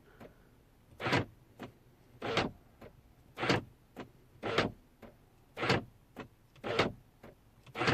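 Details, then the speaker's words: BMW F01/F02 passenger door lock after lock repair, fully reassembled, operated from the key: crisp clunks in pairs about one cycle per second, firm lock then lighter unlock; door locking normally. "so the door is all done and we're going to now try it and as you can see this is working absolutely fine from the key"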